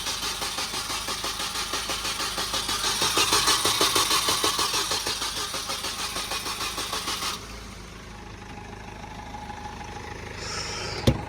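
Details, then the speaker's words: Supercharged Mini R53 project, first start attempt after engine refit: steady starter churning about three beats a second, a little slow, never catching; engine won't fire, fuel pump heard, battery light on, cause not confirmed. "What? No, it just doesn't sound like it's trying to go."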